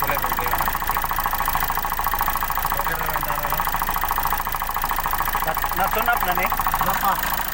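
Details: Hyundai Accent CRDi diesel after a cranking, no-start fix on the CP1 pump: diesel clatter ticking evenly at about three and a half beats a second under voices; idle stable, running normally.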